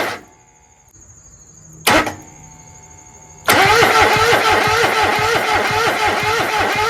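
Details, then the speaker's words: Kohler 26.5 EFI ECV749 V-twin on a Toro Z-Master 5000 zero turn, first start after rebuild, mid throttle, no choke; cranks, one sharp bang, then rough uneven run with bad sound from the muffler and smoke from the air cleaner: backfire on starting. "So, it was promising for a second until it went bang. And then things didn't sound good coming out of the muffler."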